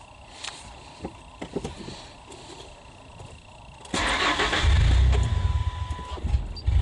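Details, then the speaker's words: Engine cranked with the idle air control valve deliberately unplugged while testing a Launch CRP129X OBD2 scanner, which reads an idle air control valve circuit malfunction code. Quiet clicks, then it cranks and catches into a low, uneven idle. "Said my idle air control valve circuit malfunction. Yep, it's correct, because all I did was unplug the sensor."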